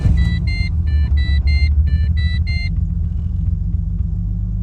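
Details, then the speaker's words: Skid car engine, once seized, cranked dead cold the next day with headlights off for full battery: deep, lumpy, labouring rumble under a door chime, locking up before catching; rough cold start, owner unsure if engine or starter, coolant in cylinders suspected. "runs like crap now it's finish and every now and then it kicks but yeah it like it actually locked up I kept holding my hand on the key and then it went over so I don't know if it's the engine locking up I don't know if the starter's got an issue"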